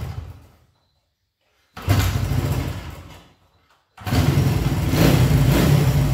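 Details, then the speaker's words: 1975 Honda CB125S, barn-stored, first start in 15 years: single cylinder catches, dies, then restarts and runs unevenly with a loose beat; fires but timing and other settings still need adjusting. "there you go i still gotta adjust the timing and other stuff to get it all right so anyway you see it's a runner um anyway i'll get it all tuned in so it fires up better and runs better and all that kind of stuff"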